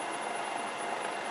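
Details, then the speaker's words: Land Rover LT230 transfer box (V8 type) on a bench after a full rebuild, one output shaft held so the front shaft spins at 180 rpm: steady high whine over a rushing spin as the centre differential gears overspin and risk oil starvation without the diff lock. "So when this stops, you double the speed going this way, and you can hear what happens."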